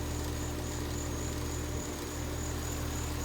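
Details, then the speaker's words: Carrier heat pump outdoor unit after run capacitor replacement: steady, even low hum from compressor and fan, no knocking, rattling or squeal; running and cooling normally. "all right so it's up and running and cooling"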